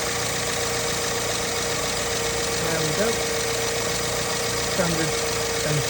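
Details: BMW N43 engine, not started in a while, at a steady even idle after start-up with a faint regular light ticking and no stumbles; running smooth with no misfiring injectors.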